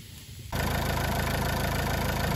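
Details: 2004 Renault Clio 1.5 dCi K9K diesel with Delphi injectors, started after replacing injectors/injector seals for a fume-smell complaint; fires straight up and settles to steady even idle clatter, no misfire or hiss, checking for leaks; healthy.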